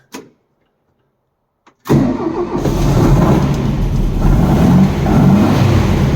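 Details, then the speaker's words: 1964 VW Beetle air-cooled flat-four that had been backfiring, started after swapping in a new ignition coil. It catches quickly after a brief crank and settles to a steady idle, slightly cold but firing all four, no pops. Normal start and idle. "ready can you believe sounds so much better huh little bit cold still but it's firing all four"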